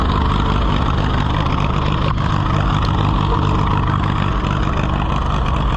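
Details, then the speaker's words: Allis-Chalmers WD tractor (WD45 engine, or the reverse), being revived to run: loud, uneven, stumbling running; it's expected to quit, carburetor not happy. "well let's try to get it away before it quits it's going to quit before we get there but"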